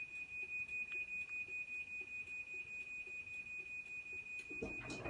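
Steady high beeps, about two and a half per second, repeat evenly over a quiet room; the opener's normal warning before the door closes.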